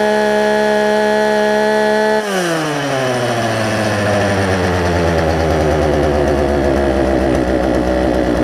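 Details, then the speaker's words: Poulan Pro 18-inch two-stroke chainsaw, warm start after carburetor work, suspected pinched fuel line and adjustment screw turned in four or five turns: fires from steady buzz and settles into even, smooth idle after rev drops; running normally. "as a result I think I got this thing to run pretty good so let's let's see let's see what we have here it's a warm start because I've been working on it"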